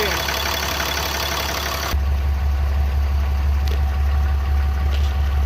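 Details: RAM 3500 diesel just after fuel filter replacement and priming, no leaks from the rear filter housing: steady, even diesel clatter at one low pitch with no hunting or stumbles; normal settled idle.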